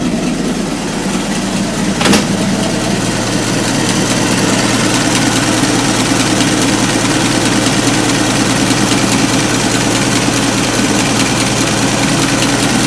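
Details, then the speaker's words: Ford Model T four-cylinder just after its rebuilt carburetor was installed. Steady, even idle with no knocks or misses, with the carburetor feeding it properly. Normal idle. "yeah she's back up and looking good running good"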